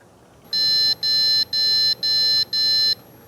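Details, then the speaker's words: Gigabyte Z590 Aorus Elite motherboard with the monitor cable unplugged from the graphics card: five short, evenly spaced high beeps at two per second, warning no display connected. "지금 이 메인보드도 모니터 연결이 안 됐을 때 비품을 내주네요."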